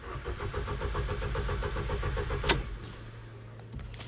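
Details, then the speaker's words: Ford Fiesta after sitting two weeks, cambelt reportedly never changed: starter cranks steadily about two seconds with no firing, then clicks; turns over but won't start, battery seems fine, owner suspects fuel or spark issue. "It just turns over. In a space of about 2 hours, I've been told the camo's never been changed. Engine doesn't start."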